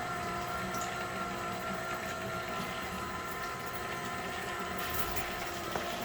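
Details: Headhunter X-Caliber water pump after repair with donor parts, run on 12 V supply with flooded body: steady even hum, constant pitch, no knocks or rattles as it builds pressure; running quietly and pumping normally.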